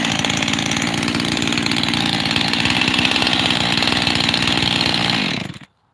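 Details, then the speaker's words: 372 XTorq, freshly rebuilt with new bearings, seals and carburetor: high buzzy two-stroke idle that won't settle, wavering between two idles; owner suspects an air leak at the transfer cover, unconfirmed. "because I've got two idles here. The thing it doesn't want to set"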